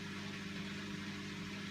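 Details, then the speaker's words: Bosch Classixx 6 Varioperfect washer on 15-minute quick wash test after motor commutator and brush checks: faint steady hum, no water or drum movement, drain pump running dry; drum not agitating, fault remains. "so that's the noise of the pump going dry it should take on more water for another rinse or else just move straight to spin"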